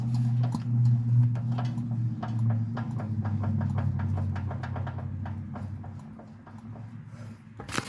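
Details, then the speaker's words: 1980s MTD Yard Machine garden tractor, 18.5 hp Briggs & Stratton, recently oil-changed, device set on the engine: crank turned slowly by hand gives irregular sharp clicks over a low hum; owner suspects rod knock, unconfirmed. "now i know some of that noise is from the uh compression in the pistons but if you hear the little when i was turning it side to side i'm thinking that's rod knock"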